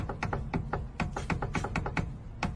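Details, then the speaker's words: Rapid loose knocking, about four or five hollow clunks a second, from a worn sway bar end link whose torn boot let dust in and dried the grease, causing play. "Todo esse barulho é causado pela bieleta. Ela apresenta folga geralmente porque rasga a coifinha dela e entra pó."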